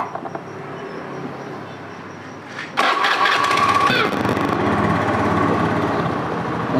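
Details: Honda Beat FI scooter that kept killing ECUs, after fitting a new original regulator/rectifier (kiprok): a few clicks, the starter whirrs, engine catches at once and settles into a steady idle.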